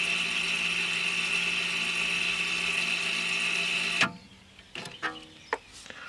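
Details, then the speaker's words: Audi A4 B8 (2007–2015) electric parking brake caliper motor, powered directly by touching wires to its terminals to wind the caliper back without a scan tool: steady high whine that cuts off cleanly when fully retracted; normal operation. "that ran for about 10 seconds and it came to a stop when it was fully backed out."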